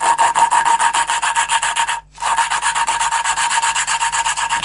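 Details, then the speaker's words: Renault 4L valve being hand-lapped into its seat with coarse paste, suction tool on degreased valve: rhythmic gritty back-and-forth rasp, about four strokes a second with a short pause; quarter-turn and repeat until the muffled grinding noise disappears completely. "Le bruit c'est un peu feutré, donc on fait un quart de tour et on tourne. Et là, il y a un peu de gras, donc ça colle plus. Et on continue comme ça jusqu'à que le bruit disparaisse complètement."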